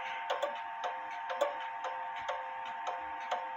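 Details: Clock out of beat after crutch bent to the left; clear ticks about once a second but long-short alternating spacing, crutch needs bending slightly back to the right.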